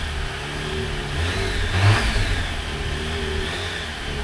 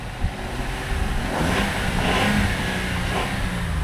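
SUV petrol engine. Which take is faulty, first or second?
first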